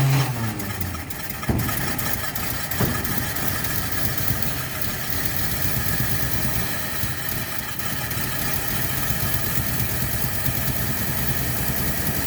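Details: 1948 Chevy engine, 55 years off the road, started with fuel poured into the carburetor: cranks briefly, catches, then settles into a steady, slightly rough running note that holds and pulls its own fuel; engine starts and runs.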